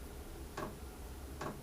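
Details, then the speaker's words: Chinese diesel heater in a shed during startup, before firing up: two crisp, sharp ticks about 0.85 s apart over a quiet low hum as the dosing pump clicks. Normal fuel pump ticking. "that's the heater ticking away it ticks like that until it's um and it goes really high ticking and high speed from the fan until it actually starts firing up"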